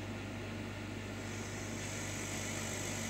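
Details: Chinese laser cutter cutting acrylic, extraction turned off: steady even air-assist hiss with a low hum underneath, no pulsing; air assist working normally.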